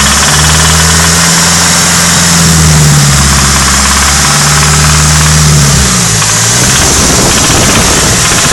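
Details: Nissan 180SX SR20DET redtop engine being revved. A loud rapid knock, about four per second, appears only between 2,000 and 2,500 rpm and seemed to come from the head. Cause: worn big end bearings.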